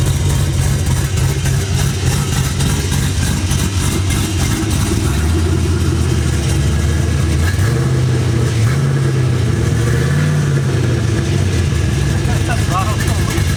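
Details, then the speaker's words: LS V8 mini truck with a cam after exhaust work: deep idle with free revs climbing and falling cleanly, no rattles; O2 sensors not yet installed, check engine light on. "sounds pretty sick though yeah it does trucks done sounds good i spun around the block no crazy rattles"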